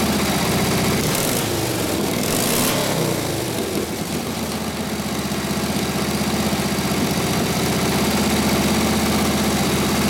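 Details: 1936 Harley RL-frame bobber with later 1940s WL 45ci flathead V-twin, 1939-40 3-speed, after rebuild and points timing: steady loping thump about four beats a second while warming up, settling after a brief blip; muffler sounds good, spits flame when revved; normal idle.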